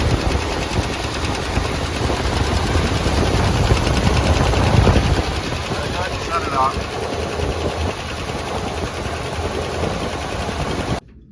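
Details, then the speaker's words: Boat-tail Buick Riviera V8, showing about 5,000 miles, first start after long storage with valve cover off: rapid even lifter clatter over rough idle, quieting after seconds as oil reaches dry lifters. "say she all looks fine in there oil squirting where it needs to squirt it's good they quieted down so maybe just pop the oil through it"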